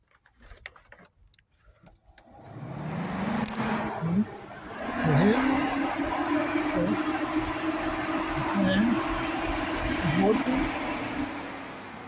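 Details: 2008 Ford Edge radiator cooling fan motor, connected directly to a battery while diagnosing why the fan wouldn't turn on and the car overheated: rising hum settles into a steady, even drone; the motor works fine, so the fault lies elsewhere.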